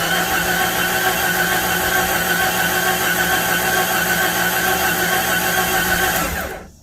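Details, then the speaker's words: 1993 Jeep Cherokee: even whirring crank at about three and a half beats a second without catching, then stops; cranks, no start, suspected bad connection or ignition problem, scope on signal wire showing nothing. "Yeah, that's not working out. So either bad connection, or maybe we have an issue with the ignition."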